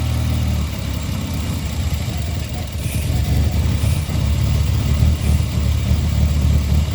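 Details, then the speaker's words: Mitsubishi Eclipse idling while vacuum is applied to the EGR valve: low uneven idle sagging toward stalling, back to normal when vacuum released; rough idle from open EGR valve. "This engine wants to stall. It's barely running right now."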